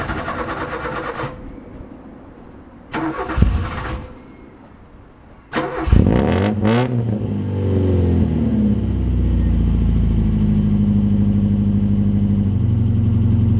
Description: Me starting up my mk2 fiesta 1.1 popular plus with the crossflow OHV 1.1 engine, takes abit to get it going but it'd been sitting in the cold for a week.